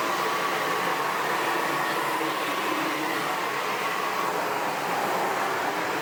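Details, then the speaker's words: Sebo Felix Classic vacuum cleaner from 2005, running on hard floor with a front head part (brushes?) missing: motor runs steadily with a loud hollow roar of air escaping out the front. "yeah I can hear the air roaring out the front of that without that front whatever it was on there brushes or black"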